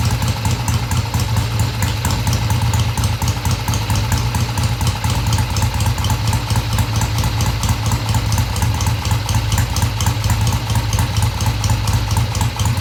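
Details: 1971 Triumph T120 650cc twin after carb tweaks of about an eighth turn: steady low idle with even firing beats and a light top-end rattle, no stumbles or hesitation, revs cleanly through mid-range.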